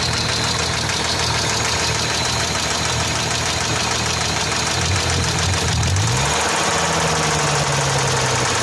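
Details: Hyundai Tiburon V6 at idle with a loose, uneven tapping about three times a second; the knock's source is unknown and the owner wonders if it is the valves.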